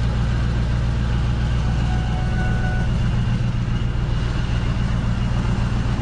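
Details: Steady engine drone with an uneven low throb pulsing about three to four times a second; rough running, suspected misfire or something shaking, cause unconfirmed.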